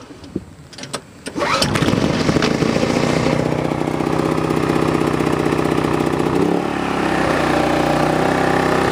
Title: Sportsman inverter generator GEN3500i cold start, 1500 watt load and sound measurment